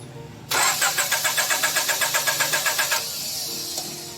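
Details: Honda Civic VTEC engine that won't start after an engine wash: starter turns over steadily about four beats a second for over two seconds, never catches; cranks but won't start.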